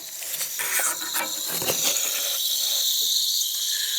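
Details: Central AC unit low on freon, with a leaking distributor tube sitting in water. A steady high-pitched hiss of escaping refrigerant runs throughout over faint ticking.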